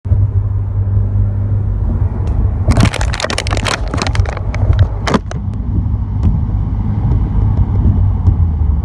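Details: 2017 Subaru WRX, phone in glove box, 3rd and 4th gear above 60, high boost: deep engine drone under load with loose buzzy rattle; turned out to be a boost leak.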